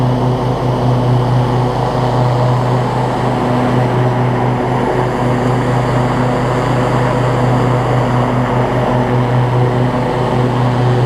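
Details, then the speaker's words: Three-year-old Husqvarna rider mower with a 24 hp Briggs & Stratton V-twin and 48-inch deck, after an oil change and a fix for an oil leak from a loose filter; a steady, even drone with no misses, running perfectly. "it runs perfectly just like any three-year-old lawnmower should idles down exactly the way it needs to pto works great deck works great"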